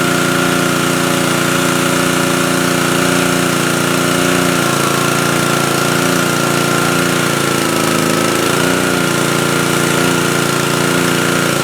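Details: Pressure washer, nearly new and hardly run, after fixing the motor-runs-but-pump-doesn't fault. Air was bled from the lines with spigot water flowing through and the trigger held on start. The small engine holds a steady, even buzz under pump load with only a brief dip in pitch; it runs normally.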